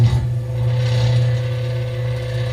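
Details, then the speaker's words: Samsung NE59J7630SG electric range, convection fan motor running with the cover removed before replacement: loud low steady hum with a rough grinding edge; the failing motor is so weak it can be stopped by hand. "but let's go ahead and turn this on so you can witness the horrible sound"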